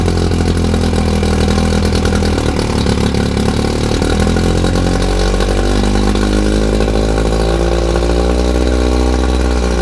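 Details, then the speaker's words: 1959 Evinrude 10 hp two-stroke outboard on flush plate after magneto ignition rebuild (new points and condensers, 0.020 in gap) for a misfire: steady even burble idled down, no misses; running properly, carb may need tuning. "So even though it isn't in a barrel, it's idled all the way down. You can hear that."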